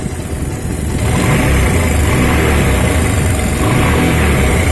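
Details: Pulsar 150 single-cylinder motorcycle idling then revving, with a light rattling chatter that follows engine speed, like a slack timing chain; timing chain noise.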